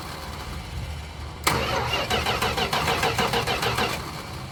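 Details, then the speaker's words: 1973 Chrysler Newport 400 V8 from a junkyard, starting fluid sprayed in the carb: steady starter cranking about three turns a second with uneven pops that never catch; crank no start, distributor wires in the wrong firing order. "there well what do you know looks like I really did mess up there was looks like I did mess up the distributor again oh goodness I think I need to go to distributor school at this point"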